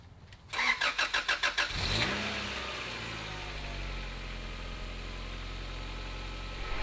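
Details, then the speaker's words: Honda Prelude (H22) after a valve adjustment for a cylinder 2 misfire with 30 psi compression, plus new NGK plugs and wires: brief crank, quick catch, steady even idle; exhaust still somewhat loud but no longer sputtering. "the exhaust sounds nice and steady before it used to be sputtering"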